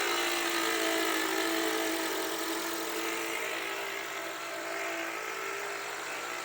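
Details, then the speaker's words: Toyota with 3R engine idling, microphone held close: loud steady whirring whine with a harsh hiss from a faulty part inside the alternator. "o 3R com motor que equipado com com uma peça numa alternador ele dá um problema tá mas eu vou mostrar para vocês agora o barulho Como que é o barulho de tão alto que é"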